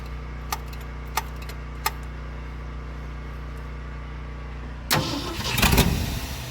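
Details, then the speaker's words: 1972 Ford F250 truck with a carburetor: a few faint clicks, then a rough burst of cranking that nearly fires but never catches; it won't start, and a clogged carburetor is suspected after the truck sat in a garage. "Oh. Started to. Still not good."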